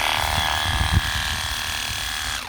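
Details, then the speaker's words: Shear Cordless 12V lithium-ion sheep/cattle clipper after a motor replacement and a corrected switch activator: a smooth, steady high-pitched whir with the cutter head chattering evenly, then a clean spin-down; running as it should. "going as it should now."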